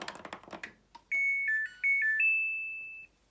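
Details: Samsung 8 kg front-load washing machine, power button pressed: after a few clicks a quick rising run of clear electronic notes ending on a held tone; normal power-on melody.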